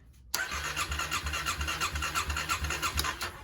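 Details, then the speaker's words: 2009 Kawasaki KLX250S, long-sitting, after replacing a cracked 20 A fuse; spark present: starter churns in uneven pulses about three a second without catching, won't crank fully; suspected flooded or bad gas, carb may need cleaning. "It won't turn over all the way though. It won't crank all the way. We're thinking that it's probably just flooded or there's some bad gas in it."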